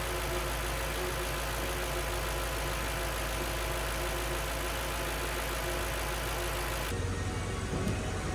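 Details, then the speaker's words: Audi S4 V8 (B6/B7) after timing chain replacement, cranked first to build oil pressure, then started: catches and settles into a smooth, even idle with no knocks or ticking, a normal healthy engine. "before we start the engine we're just going to crunk it to make sure we have oil pressure and then we can start it up"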